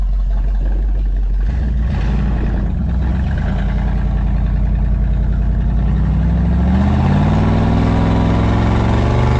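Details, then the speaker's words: Buick 455 V8 with Stage 1 upgrade and newly broken-in cam, first drive: deep, even burble climbing smoothly with revs, no knocks or ticks; runs good, healthy and strong. "it's not running bad dude it sounds good yeah sounds real good sounds tough"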